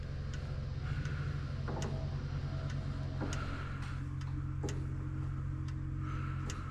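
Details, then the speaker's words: Lift unit goes up but won't lower; steady low motor hum with irregular sharp clicks a few times a second when activated; owner suspects a connection such as the negative, cause not confirmed. "I just don't get why it would go up but not down. That just doesn't make any sense."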